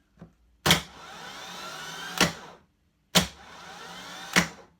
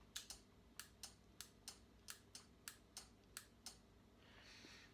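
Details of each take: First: Moto Guzzi Griso starter motor bench-tested by shorting the solenoid live to the control wire, after intermittent starting despite a new starter and battery. Sharp solenoid clack, even high whir, then a clunk; the Bendix throws forward normally. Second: Moto Guzzi Griso with intermittent starting despite new starter motor and battery: pressing starter gives about three sharp light clicks a second, no cranking; only the small starter relay clicks, solenoid not engaging (control wire disconnected).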